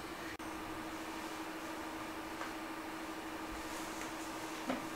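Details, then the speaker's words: Ender 3 Pro 3D printer with Noctua fans, about 50 dB or roughly 10 dB less than stock, quiet enough that the power supply can be heard; faint steady hum with nothing rattling; normal quiet fan running. "so now my fans are quiet enough i can hear the power supply this is a lot quieter than it was"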